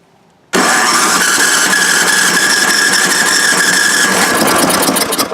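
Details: Junked MTD snowblower engine, reportedly blown but said to start on electric, cranked with electric starter after starting fluid: quick light cranking about four turns a second that never catches, spinning freely, suggesting little compression.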